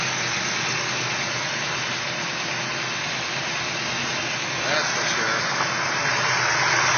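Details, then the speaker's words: Ford 390 V8 on 10W30 break-in oil, timing 11°, Autolite 4100 carb, stock oil pump. Oil pressure 75–80 psi cold, 35–40 hot. Steady, even idle with busy mechanical valvetrain, smooth exhaust, no knocks: runs healthy. "sounds good definitely hear them mechanical M Train singing away"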